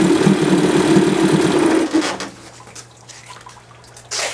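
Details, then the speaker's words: 1978 Johnson 25 hp short-shaft outboard after carburetor cleaning to fix a no-start: catches and idles with a quick, fairly even two-stroke patter, then settles quieter; runs normally. "I'd say that's got her."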